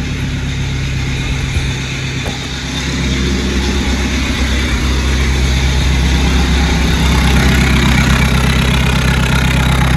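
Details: 2012 VW Golf SportWagen 2.0 TDI (CJAA), 262,000 on original timing belt, previously shut off and wouldn't start; exhaust blocked off and vented ahead of the turbo, loud even diesel idle with open raspy note and no knock.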